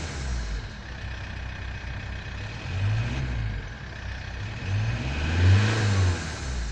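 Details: 1999 Toyota T22 D4D diesel revving: a faint airy hiss from the turbocharger intake hose, almost inaudible at idle and much stronger under acceleration, suggesting a leak.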